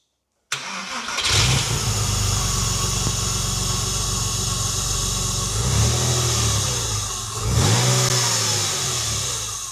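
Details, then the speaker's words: Porsche six-cylinder rebuilt after over-rev damage (bent exhaust valves, piston contact), reinstalled and run up to temperature: quick crank and clean catch, smooth even idle, two crisp revs rising and falling cleanly on all six; runs normally. "So as you can hear, the engine runs great. We've ran it up to temperature. It's got absolutely no issues and it drives great."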